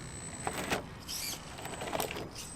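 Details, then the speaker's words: HPI Venture Wayfinder RC crawler on rocks, first rock test: short strained whirring bursts as the steering fights to hold a left line with no power; steering servo lacks torque, weak steering servo. "see there I'm trying to stay left just not got the power at all so the steering servo is definitely"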